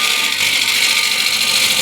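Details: Ash bowl blank on a Killinger KM 1450 SE wood lathe, truing with a bowl gouge: even, steady hiss with no catch or rhythmic thump, showing the blank is now running true and cutting cleanly.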